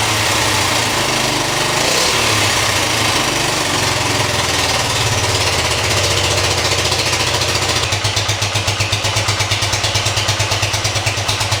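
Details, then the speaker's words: 1973 Honda CB100 after replacing spark plug, plug wire, coil and points for weak spark and hard starting, kick-started: rough uneven putter that hunts and never settles; still won't idle, cause possibly something else. "Well, it still doesn't idle, but that may be something entirely different."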